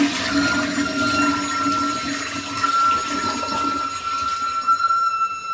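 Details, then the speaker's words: Toilet tank refilling after a flush: steady high siren-like squeak/whistle over a lower hum, possibly lasting about a minute; owner suspects the fill valve, since touching it stops the noise. "The reason I'm replacing it because every time I flush, it makes this little squeaky noise."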